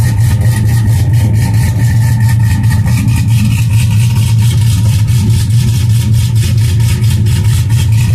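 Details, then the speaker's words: 2002 GMC Sierra V8 cold start after sitting a couple of days: settles into a steady, even low rumble with no knocks or misses; healthy cold start idle before tow/haul stalk switch wiring repair. "I haven't started thing up in a couple days let me start it up and I'll give you guys a quick cold start real"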